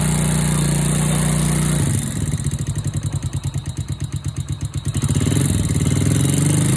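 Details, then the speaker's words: Honda Wave 100/125-type single-cylinder motorcycle just rebuilt with new cylinder, piston, rings, cam chain, tensioner and oil pump gear: rapid even tapping about four per second over lumpy idle from loose valve clearance, before valve adjustment. "โอเคเสียงที่ได้ยินแต๊กๆๆๆๆเป็นเสียงของวาล์วนะครับ"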